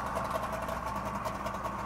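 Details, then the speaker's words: 1964 DKW Deluxe Junior F12 two-stroke with oil injection plus premix in the gas: busy buzzing idle with a quick even beat and ringing buzz like a small snowmobile, smooth and steady; smokes slightly at the rear; healthy idle. "I love the way it sounds. Sounds like a little snowmobile."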